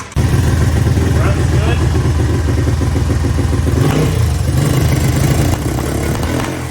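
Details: Barn-find Honda ATC 200X three-wheeler, parked a year, first run after carb cleaning, valve and timing adjustment: loud, uneven single-cylinder chugging at three to four beats a second, stumbling and hunting; blown head gasket.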